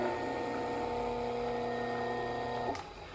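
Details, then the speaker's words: Ventisol Turbo 6 50cm 135W fan after oscillation system repair and capacitor refit, brief test to avoid overheating: quiet steady motor hum at constant pitch nearly three seconds before switching off; motor runs normally. "então amor pa funcionou legal E aí tá funcionando"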